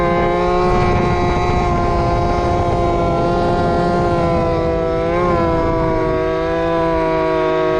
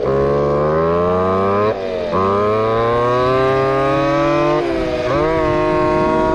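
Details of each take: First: Two-stroke RC Big Foot, camera chest-mounted, warmed up after fixing motor adjustment plate screws rubbing the off-road tire: high buzzing howl near top speed, pitch dipping then climbing smoothly; normal full-throttle run. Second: Two-stroke RC Big Foot, hot pipe, top-end needle adjusted, about 28 mph: screaming full-throttle note climbing then twice sagging and stumbling; at lean limit, breaking up, later judged slightly rich.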